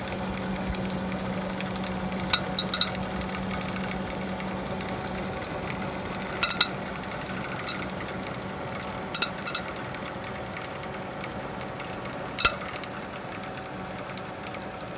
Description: One of the case fans in my home server has started making clicking and ticking noises, and visibly wobbling on its axis.